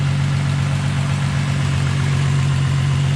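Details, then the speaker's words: 2000 VW GTI Mk4 bought with a blown engine, first start. Steady, even low-pitched idle with no misses or knocks. Smoke seen is possibly spilled oil burning off the exhaust. Normal idle. "but hey she's running we got smoke coming up this is great"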